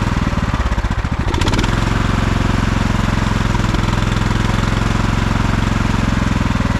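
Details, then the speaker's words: 1989 Craftsman mower single-cylinder engine, cold start on choke after fuel and choke repair: chugs unevenly, falters and wants to stall on throttle-up before settling rough; owner thinks it needs tuning. "you can hear how every time I go up on the throttle it kind of wants to stall and then it goes in I think with a little bit of tuning will'll be all right"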